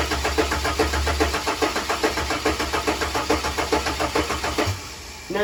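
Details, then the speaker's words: Ford AU Falcon on standalone ECU with revised trigger setup, extra battery for fuel pump, M104 coils loosely fitted with poor connection suspected; steady cranking about two pulses a second, ragged firing and a pop near the end: misfiring, backfiring start attempt. "Okay so I've been playing around with a trigger setup and this is how it sounds now okay that was a huge backfire smells"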